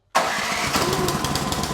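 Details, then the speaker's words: Ariens Deluxe 28 snow thrower, cold start with choke on using the electric push-button starter on a 16-gauge extension cord: catches almost at once into a quick, even single-cylinder run with no misses; choke then turned off, normal cold start. "Now, as soon as it starts, take the choke off. I just idled it down, but pretty much when it starts, you want to take it from the on position on choke to the off position here."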